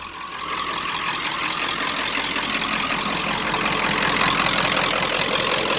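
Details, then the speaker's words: 1995 Ford F250 7.3 Powerstroke, 180,000 miles, stock and untuned, Royal Purple oil: idling just after start. Steady, even diesel clatter with a fairly loud exhaust, no misses or knocks, no smoke, no check engine lights. Normal healthy idle. "no check engine lights or anything like that wait you hear the exhaust all around a great running truck no smoke when you start it nothing like that"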